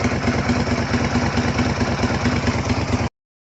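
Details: 2004 Suzuki SV 650 motorcycle after fuel pump replacement: steady, even idle thump at a smooth regular rate with no misses or stumbles before it cuts off; normal clean idle.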